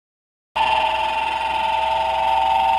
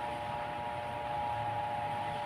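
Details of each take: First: Stand fan with slight play in its worn shaft bushing: loud, harsh, steady screech as the rotor rubs the stator; the bushing is to be replaced. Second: Stand fan after replacing worn, wobbly bushing, tested on speeds one and two: soft steady hum with one faint constant tone, no rattle or scraping; loud noise gone, runs smooth and quiet.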